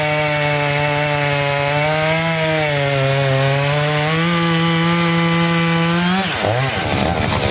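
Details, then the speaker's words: Two-stroke chainsaw cutting a dirty, sandy log that was partly cleaned first: a steady, slightly labouring note through the cut, with revs dropping away at the end. The chain is dulling from the sand. "all right so definitely getting dull as we go"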